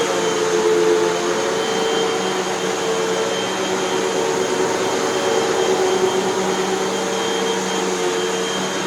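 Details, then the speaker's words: Hoover WindTunnel 2 Whole House Elite vacuum after two new brushroll bearings, new belt, cleaning and three feed-tube patches: steady motor whine with even airflow rush, no rattles or belt slip; runs normally. "two brush roll bearings one belt a heavy cleaning deodorizing there's always a heavy cleaning and a deodorizing and patching three holes in the nozzle feed tube and we have a machine that works just fine as far as i can tell"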